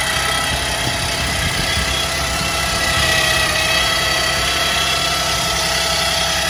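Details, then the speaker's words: 2010 Chevy Traverse, first cold start of the day with AC off: a steady high whine over the engine from the power steering pump area. It is quieter at idle and louder with acceleration; steering works fine. A clogged reservoir filter is suspected. Power steering pump whine. "You guys can hear it coming from this area. So when the vehicle idles down, it's a lot quieter, but when you drive it, this noise is the same. The more acceleration, the louder the whining."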